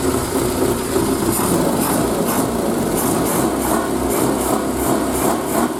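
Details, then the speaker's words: Triumph Spitfire, unstarted for 3–4 months, cold start in neutral on full choke: rich, slightly lumpy idle settling steady without knocks or misfires, idling at 500 off choke, a little smoke burning off oil; normal cold-start idle. "off the choke straight away idling at 500 wow admittedly if you tried to drive it now it a bog but you know she's there"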